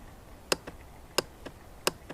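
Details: 2006 Honda Rancher TRX350 ES, new battery fitted: sharp single clicks about every 0.7 seconds, one per press, engine never turns over; starter relay (solenoid) or starter motor suspected, not confirmed.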